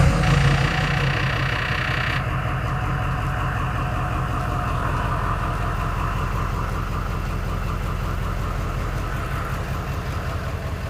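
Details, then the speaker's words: 2011 Ford Powerstroke diesel with an entirely new rebuilt engine, after repairing a harness fault that dropped the 5V sensor reference: catches after a short crank and settles into an even, steady diesel clatter with no misses. Normal idle. "more like it alright so you guys heard the truck sounds good seems to drive well"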